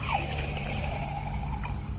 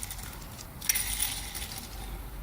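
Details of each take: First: Yamaha XL1200 jetski 2-stroke crankshaft, removed and soaking in 20–25:1 two-stroke mix, bearing spun by hand: very loud, gritty, grinding rumble with a thin sliding whine from a worn crankshaft bearing. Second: Yamaha Waverunner XL1200 jetski 2-stroke crankshaft, spun by hand after cleaning: light, even whir with no grinding or rumble; this is the only good main bearing, 5 of 6 need replacing.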